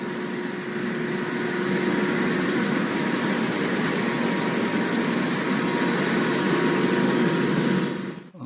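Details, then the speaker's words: Blower V-belt drive with misaligned pulleys, motor pulley set far inward versus impeller pulley: steady hum with a thin, fast chirping squeal as the belt slips, shedding black belt dust and wearing the pulleys. "이것도 찍찍 미끄러 겠 칙칙칙 미끄러지는 소리 들리시죠 그리고 이것도 정렬이 안 맞았어요"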